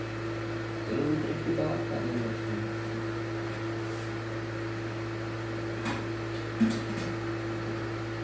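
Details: Second-hand PlayStation 3 that owner reports is very loud and shuts off by itself. A steady, loud low hum with a constant mid tone and no speed change: the console fan roaring, cause unclear.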